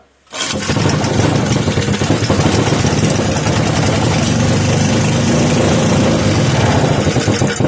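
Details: 3hp Briggs & Stratton horizontal-shaft single on a cold evening, started on choke: fires up promptly and settles into a steady even chug, no misses or knocks; kill switch works.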